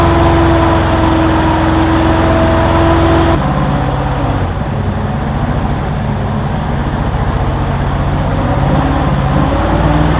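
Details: 1964 Ford Thunderbird V8, cold, first start via remote starter, about 5.5 V at coil: uneven, lumpy idle with irregular stumbles; misfire suspected, possibly from bad vacuum leak at carburetor-to-intake spacer gasket; oil pressure a little low.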